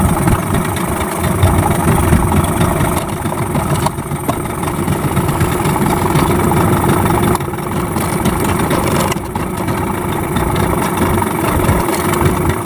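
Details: Yamaha 15 hp outboard just after repair for hard starting and no power (stuck piston rings, clogged exhaust): starts quickly, steady even two-stroke idle with firm low drone, no misses or knocks; normal idle.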